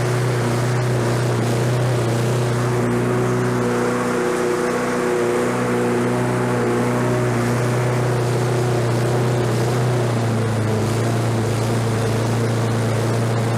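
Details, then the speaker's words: Lawn-Boy 21-inch self-propelled mower, self-propel engaged: engine holds a high, steady drone and sounds like it is over-revving; governor arm bent to bring rpm down. "stuff propel works it sounds like it's over revving a little bit so i bent that arm to bring the rpms down a little bit"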